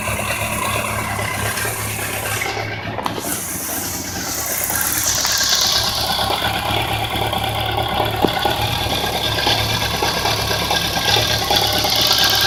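A fast, light ticking with an uneven knock underneath runs through the bike's idle; the source can't be pinned down by ear.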